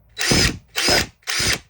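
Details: Old, worn brushed DeWalt DCF885 impact driver: three short even bursts of high motor whir, no grinding or stutter; spins up cleanly and runs normally.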